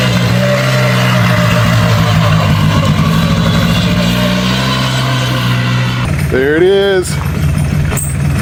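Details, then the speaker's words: Scrap/parts four-wheeler ATV after driveway repair: steady, even single-cylinder drone rising briefly with a throttle blip; it now runs and drives normally and smokes less than before. "Got it running and driving. It's not smoking as bad anymore either."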